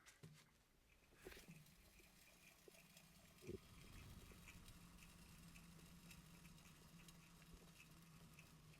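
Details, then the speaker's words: BMW 318i wheel hub spun by hand after wheel bearing replacement: only a faint, even low hum, no rough rolling sound; the old bearing sounded rough. "nice and quiet I hardly hear anything no rough Rowling sound"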